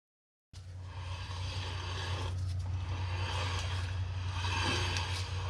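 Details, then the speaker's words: Boat trailer hub after wheel bearing replacement: rhythmic scraping rub three to four times a second over a low drone; brakes that sat tend to squeeze and lock up, slight corrosion expected to wear off; brake drag. "don't be surprised on your brake hubs if they're a little warm the first time as you can hear when those brakes have sat there a little bit like this they tend to um sort of squeeze in lock up"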